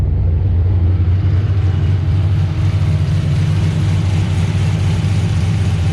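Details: VE with a big V8 said to make 525 rwhp, just fired up and still not road-driveable: a deep, heavy rumble holding a steady lumpy beat with no knocks or rattles; a healthy idle.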